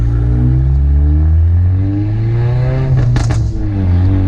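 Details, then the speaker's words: Ford Mustang EcoBoost with turbo kit and catback exhaust, resonator tips removed: deep, loud drone that swells and falls with revs and booms down low, with a rattling sound; low RPM sounds poor and backfires some, and it is very loud on the interstate. "So the main thing was that when I was driving on the interstate, it just sounds terrible. Like, it's not that it's terrible, it's just super loud."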